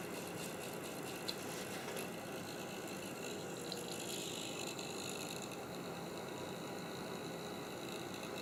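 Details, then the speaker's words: Creality CR-10S 3D printer's small cooling fan gives a steady hissing whir with a faint buzzy rattle throughout. A noisy cooling fan. "it's still making weird noises let me check this"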